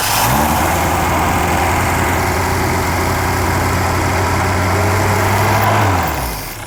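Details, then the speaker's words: 1998 Reliant Robin Mk2 barn find, freshly rebuilt carburetor: steady elevated speed with even drone never dropping to slow idle; high idle because rerouted throttle cable keeps throttle from fully returning shut. "I think the throttle cable's stuck up a bit, because that seems to be revving a bit. And is it? Yes, it is."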